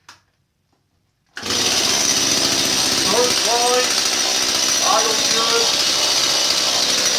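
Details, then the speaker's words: Stihl 017 chainsaw with non-adjustable EPA carburetor: idles well, but each throttle blip sags and drops in pitch instead of climbing; bogging blamed on a plugged, poor carburetor. "idles good start idles good you go to give us some fuel it just bogs and falls on its face"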